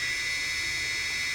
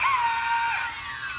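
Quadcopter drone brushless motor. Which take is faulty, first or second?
second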